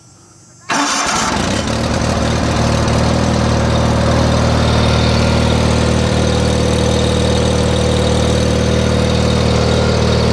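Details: 1989 John Deere 318 garden tractor started in the garage, known to blow some smoke: engine catches within a second and settles into a steady, even idle with a firm low thrum; starts and runs normally.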